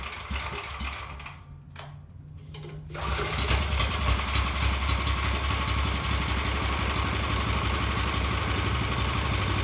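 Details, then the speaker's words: Revived Vanguard 9 hp single-cylinder tractor engine after carburetor work and old fuel drained: cranks twice, fires, then holds a fast, even chatter that never drops back; throttle cable sticking, not returning, so it sits at high idle. "went through there and noticed that the throttle cable was sticking it wasn't returning all the way so it would just sit it high idle"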